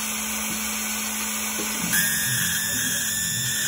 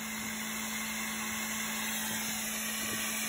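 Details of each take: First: CO2 laser with 100 W tube cutting plywood at 70% power, speed 18, after changing the distilled cooling water: steady high whistle from the tube and head over air-assist hiss, dropping out between passes; water unsuitable for cooling. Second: CO2 laser cutting plywood at speed 18, 70% power, after replacing cooling water, chiller at 16.5°C: even steady hum with a faint constant tone, no squeal; the earlier whistle is gone, normal cutting.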